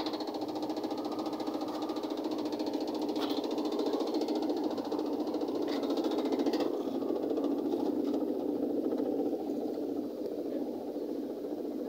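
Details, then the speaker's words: Automatic washing machine during spin after rinse: steady spin hum with an uneven knock or rattle about twice a second; technician says a part is not yet fitted, causing the noise. Knocking during spin from unfitted part. "Yan, medyo tumutunog lang kasi hindi ko pa na-itag nililitakit. Hindi ko pa kasi nalagyan ng nililitakit kaya tumutunog siya."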